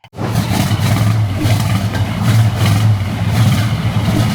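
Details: 1971 Pontiac Firebird Formula with ignition issues; Quadrajet carb already rebuilt (needle, accelerator pump, secondary doors, float height) but still runs poorly: lumpy, uneven V8 rumble surging and sagging irregularly instead of pulling smoothly; rough running, distributor next suspect.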